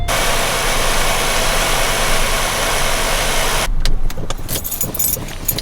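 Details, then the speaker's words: 1990 Cadillac DeVille, engine running: even hum and no rattle from the belt drive; tensioner quiet after spraying lubricant, a temporary fix, then handling noise. "I guess I'm gonna be spraying some lubrication on that tensioner probably once in a while but check this out no more noise"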